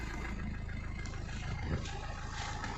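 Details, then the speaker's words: Mahindra Verito D6 with Duster's 1.5 Renault 85PS diesel, black smoke and no acceleration after 15 days parked; after blocked turbo found and 6-year-old filter replaced: steady clatter, smooth even rev rise, no hesitation, no exhaust smoke; fixed. "अभी देखो, ये race ले रही है इसका RPM भी अभी ऊपर उठ रहा"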